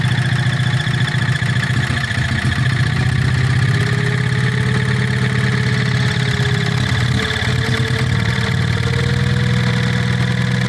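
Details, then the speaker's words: Petter stationary single-cylinder petrol engine, warm (run 10–15 minutes earlier): slightly uneven, hunting thump, coughing and spluttering rather than a clean steady beat; not running happily yet. "as typical this engine normally runs absolutely beautiful and it's completely Flawless but of course when you want it to run nicely while you're videoing it it plays up you hear it coughing and splattering"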